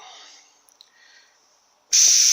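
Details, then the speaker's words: Bench test of an A340 (AW4) automatic transmission torque converter clutch solenoid from a 1996 Jeep Cherokee 4.0 petrol: silence, then steady hiss as 70 psi air flows through the unpowered normally-open solenoid; normal, closes when powered. "now we're putting 70 psi pressure through there now, and that one's normally open."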